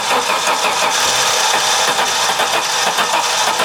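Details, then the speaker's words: 1987 Audi 5000CS turbo, sitting 20 years in a field, brake clean sprayed in intake: starter spins steadily with only faint catches, no real firing; no fuel delivery, fuel pump not working. "Try again. It was almost there. >> There's no fuel. >> What are you talking about? It almost started."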